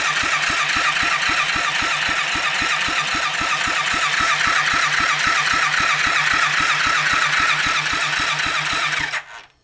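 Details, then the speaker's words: Rebuilt kids' 110cc quad on electric start: steady cranking about four compressions a second for nine seconds without firing. "I'm going to pull the spark plug again and we'll see if fuel is getting down the spark plug because if it's not getting down there then obviously that's the next problem."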